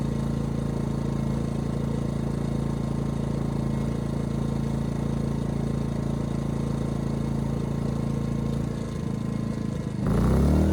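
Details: Ryobi RYI2300 inverter generator, 15 months old, after fix: stalling under heavy load solved by turning the easy-start knob further. Steady even hum under load, brief dip near the end, then settles smoothly; normal running.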